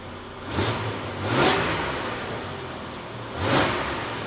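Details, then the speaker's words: 2003 Nissan Frontier after extensive repairs for deferred maintenance: three quick throttle blips rise and fall smoothly with no knocks, ticks or rattles; runs smoother, no vibration. "There's no funny noises, nothing crazy. It actually works. It's smoother. It runs better."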